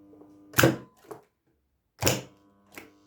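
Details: Magnetic starter (contactor) wired in a start-stop circuit with an indicator lamp: two sharp clacks as it pulls in and drops out, with a strong steady low mains hum while energized. Contactor hum, cause unknown.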